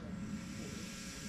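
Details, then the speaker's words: 2015 Ford Mondeo AC system being purged with nitrogen during a leak test: a steady, even hiss of gas escaping under pressure. Leak in the AC circuit, a holed condenser. "We can actually hear the hissing coming from the system already. So, we can hear that we have a leak."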